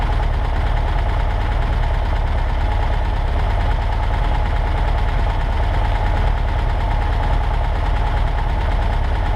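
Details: 1963 Volkswagen Karmann Ghia air-cooled engine, first run in over 10 years after parts replaced: steady, even idle with a soft regular low thrum, no knocks or misses; normal idle.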